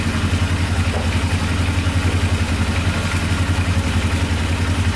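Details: Polaris Sportsman 500 4x4 ATV, first start after fixing its no-spark problem, choke on. A deep, steady single-cylinder idle around four beats a second, with no knock or tick; it idles perfectly.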